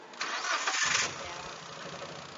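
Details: Nissan Big-M with a carburettor fault that shook and stalled with the A/C on; the starter cranks briefly, the engine catches cleanly and settles into a steady, even idle with no stumble.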